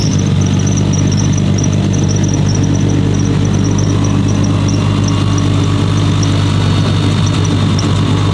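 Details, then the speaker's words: Brand-new 1500 hp Nissan Skyline R32 GT-R engine after first start and tune adjustments, system check OK: steady even low idle rumble with no knocks, ticks or misses; normal healthy idle. "Guys, can't explain the feeling right now of hearing this car again. God, this is going to be awesome. All right, guys. So, system check. Aok. Okay, this thing is doing pretty good."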